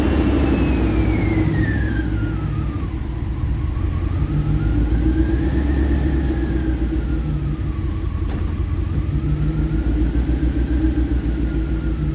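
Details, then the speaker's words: 1991 Mercedes 500SL (R129) that stalled hot and wouldn't restart, after cap and rotor cleaning: hot restart fires right up into a steady, slightly uneven idle with faint wavering whine; cam sensor not yet replaced. "The main thing I want to do right now is I want to show you guys a hot start, because it is first off, it wouldn't even start when it got hot before, and now it's kind of firing right up. There's definitely something wrong with one of the sensors."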